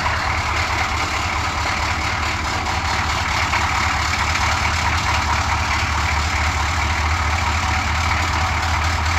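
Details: Suburban 6.2 diesel after cold start, small oil and coolant leaks noted: even, low diesel rumble holding a smooth idle, no knocks or misses; runs like a top, healthy.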